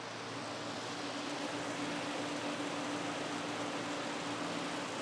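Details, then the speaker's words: 1971 Pontiac LeMans race car in garage: electric cooling fans switched on, even steady airy whoosh with faint constant hum, no wobble or rubbing; normal cooling fan operation. "So, that actually should say T fan. This one's supposed those fans are on."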